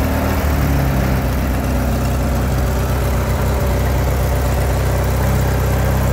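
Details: LX176 lawn tractor after repairs, now driving without belt slip; small engine holds a steady, even low chug with no misses or knocks, normal running.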